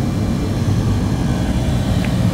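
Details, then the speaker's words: Walk-in freezer at about 23 degrees, found not working: after the digital thermostat and low pressure control start it mid-recharge on the low side, the compressor runs with a steady low hum and even drone, no knocking or chatter, normal compressor running. "So it should kick in via the low pressure control here in just a second. And then we'll finish charging on the low side once it's up and running. Okay, now we are running."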